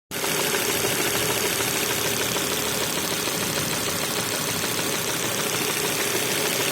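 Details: Volvo S60 2.4 103 kW petrol engine at idle: a dense, busy clatter with a loose, uneven knock about three times a second.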